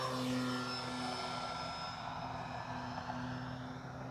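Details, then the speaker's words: Arrows Tecnam 2010 1450mm electric RC plane in flight: motor tone drops and fades as throttle is cut, leaving softer whirring as airflow spins the prop; normal windmilling after throttle cut. "so what that noise is that's where the tractoring of the prop meaning the spinning induced from the throttle from the motor okay meets the speed where it's being pushed and then"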